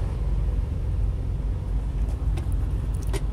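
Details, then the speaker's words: 2015 Freightliner Cascadia Evolution diesel, cruise control set to hold 1500 rpm to override idle shutdown: low, steady drone at raised revs with faint clicks; engine running evenly at high idle. "now what I found out to do is first we're going to turn on cruise control now we're going to I want to put the RPMs all the way up to 1500 press set let go"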